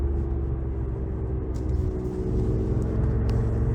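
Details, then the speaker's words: 2008 Audi S8 (D3) driving, about 200 miles on new Continental tires: loud low road roar with a droning rumble from the front while the rear stays silent; suspected failing front right wheel bearing, to be checked with a pry bar. "The noise is atrocious. It kind of actually rumbles a little bit through it, but it's the same tires front and back. The back is silent. Now listen to this. Sounds like we got a front right wheel bearing going out."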